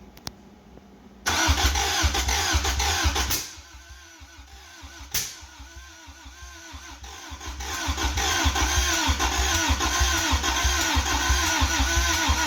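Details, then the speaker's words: 1985 Toyota MR2, 4A-GE 16V, long sitting, started via jumper wire, distributor turned clockwise to max, gas sprayed in; starter churns, engine catches unevenly then stumbles and labours; hard starting, timing suspected, not confirmed. "well that definitely isn't better no it isn't okay well we'll try again here in a second yep let the starter cool down"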